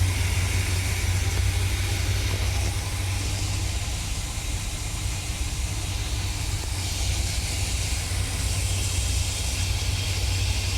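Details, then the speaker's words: 1975 Chevrolet Corvette coupe, 350 L48 V8, manual, winter start in the garage: the auto choke has opened after warm-up, so the idle drops to normal. Steady, even low rumble with no misses or knocks. Normal warm idle. "Så, då öppnar choken och sen så går den ner på normal tomgång."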